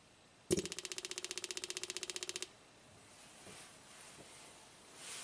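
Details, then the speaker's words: 2010 Toyota Corolla, 102,000 miles, codes P0441/P0455, purge valve commanded by scan tool: crisp even burst of about ten clicks a second for two seconds; both purge valves hold vacuum and switch, purge valve not the issue. "Okay, so they both seem to work, so it seems like our purge valve is not the issue."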